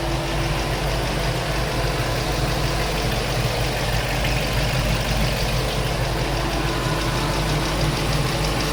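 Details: LS-swapped K10 truck V8 at idle: fast, light ticking at roughly three per second over a steady idle; owner unsure whether headers or valvetrain. Engine ticking at idle.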